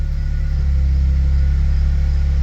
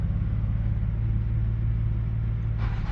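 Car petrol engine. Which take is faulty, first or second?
second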